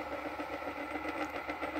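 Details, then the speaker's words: Philips tape dictaphone after belt tar removal and new belts fitted: fast-forward and rewind give an even whirring spin with light uneven flutter, no slipping or squeal; tape transport winding normally. "just show it fast forward and rewinding there you are look okay"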